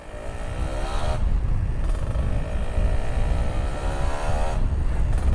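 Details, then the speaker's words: Kawasaki Ninja two-stroke ridden at night after replacing the battery: under wind and road noise a clean drone rises and falls smoothly with throttle, no stumbles; sound back to normal. "Suaranya juga saya ngerasa udah kembali normal cuy. Suaranya udah kembali normal, udah mantap jiwa lah."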